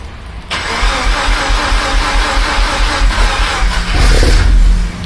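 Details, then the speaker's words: First crank of a 13B rotary swapped into a Subaru BRZ, replacing its knocking engine: a quick crank catches into a steady, even rotary idle with a brief blip and no misses or knocks; sounds healthy. "bro that sounds like a healthy that sounds real healthy I'm not even going to lie"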